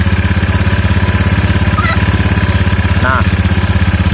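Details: Scooter after its CVT was opened and the damaged rollers were repaired. Even, steady single-cylinder thump at about three beats a second, with no rattle or grind from the drive side; the CVT sounds healthy.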